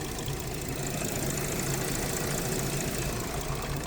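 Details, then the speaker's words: 2013 Audi Q7 supercharged 3.0T with misfire and suspected coolant burning off in the valley; lumpy uneven idle with irregular stumbles, running worse and worse and stalling; no combustion gases found in coolant. "this thing starting to run worse and worse and my stall on me"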